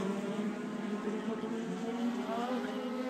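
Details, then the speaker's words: Race car at Charlotte, on track: engine note climbs and flares to the rev limiter without drive, forward motion lost; clutch slipping. "um and here you can really hear the audio of the car starting to slip like there I have no drive"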